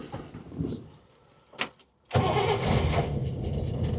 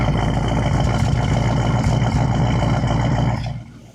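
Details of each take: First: 1961 Buick LeSabre nailhead V8, first start attempt with fuel drawn from about 20 ft away: long starter churning bursts with uneven chugs that never catch; fuel not yet reaching carburetor, ether tried, choke possibly disconnected. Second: 1961 Buick LeSabre convertible, Nailhead V8, first start after sitting, running from its gas tank with a visible fuel leak: an even, steady low rumble with no knocks or misses, a healthy idle that sounds pretty good.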